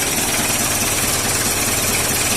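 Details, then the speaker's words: Isuzu Panther 2.3 diesel at idle: uneven thumping clatter with lumpy irregular knocks instead of an even diesel tick; injection pump timing out of step with compression. "Dengarkan suara ini. Gedebuk, gedebuk, bunyi gedebuk, bunyi gedebuk."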